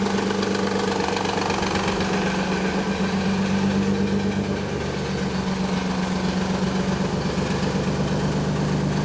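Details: 1991 Nissan 300ZX V6 idling cold: a fast, uneven rattling knock over a steady hum that faded after about a minute of driving. Cause was a collapsed timing belt tensioner leaving the belt slack; the idler pulleys were also noisy.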